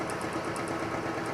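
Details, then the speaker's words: Oil-lubricated test rig with BestLine additive added, around 184° temperature, load rising toward 40 ft-lb: even hum with light fast regular tick on top, no squeal, grinding or seizing; much quieter than without additive; quiet running under load. "But you can see it didn't even seize, didn't even have a problem, wasn't even squealing."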